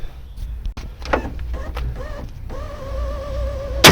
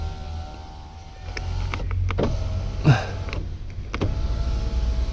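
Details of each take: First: BMW E36 power window: motor whirr with wavering tone through travel, uneven thunks and a loud clack at the end; regulator missing its clips. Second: Power window on the M50B30 stroker compact: a smooth motor whirr running up and down in even strokes, stopping cleanly at each end. Normal window operation.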